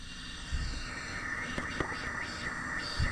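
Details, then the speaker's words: 2014 Sea-Doo RXP-X 260, 150 hours, boost leak test after fixing a loose hose clamp: constant airy hiss with puffs as air escapes from the flush port; intercooler failed, explaining water in the oil. "you can hear air coming out of the flush port. So, the intercooler is shot."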